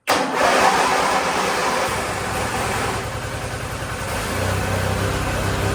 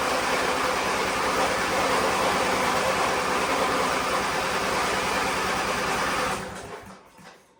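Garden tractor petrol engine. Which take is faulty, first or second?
second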